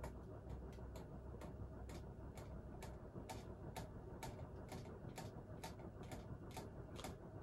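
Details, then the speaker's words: Crompton Greaves High Breeze 56-inch ceiling fan on medium of a three-speed controller: faint regular ticking about twice a second, from the shaking canopy rubbing against the wooden ceiling mount it is tightened to. "noise is because i have the um it shakes a little bit and i have the canopy tightened all the way up against the um ceiling so that noise is just the canopy rubbing against the wood that it's hanging from"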